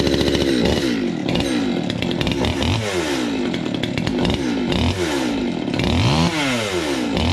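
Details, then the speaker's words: Stihl 200T two-stroke chainsaw after new carb, intake boot, impulse line, fuel line, fuel filter, air filter and spark plug, first start: fires and revs cleanly with crisp throttle and steady idle, sounds much better, though still needs carb tuning. "that's sweet that was a success yeah and it sounds a [ __ ] whole lot better too"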